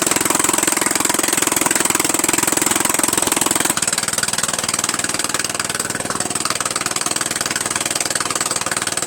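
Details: Murray Widebody LT 14.5 42" lawn tractor single-cylinder running steadily after its first start on fresh gas: a harsh, loud, rapid popping bark, much louder than normal with the muffler off. Loud exhaust.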